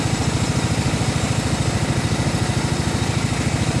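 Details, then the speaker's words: Riding mower deck while mowing: fast steady pulsing drone with rough growl; spindle visibly wobbling, loud for a while and much worse in the last half hour; worn deck spindle bearing, owner fears it will grenade if pushed. "it just recently got like recently meaning like in the last half hour got got really really bad it's been loud for a while but it's it's like super gross now"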